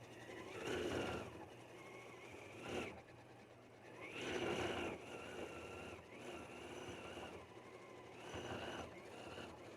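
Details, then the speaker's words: Janome 9480 sewing machine doing free-motion quilting with Automatic Stitch Regulation, run on start/stop button (foot control unplugged): busy stitching whir with short high beeps in bursts, the regulator warning the fabric is being moved faster than it wants to sew. "the Machine is telling me with if you hear that beeping that I am moving faster than it wants to move"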